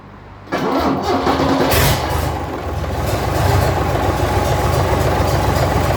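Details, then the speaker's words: 1965 Gardner 6LXB 180 marine six-cylinder diesel, rebuilt after failing 80 hours past a previous overhaul, first start on test stand with fuel and decompressors on: cranks, catches within a second, settles to steady even idle without knocking; healthy start. "Okay, so we now turn on the fuel and the decompressors and go for a start."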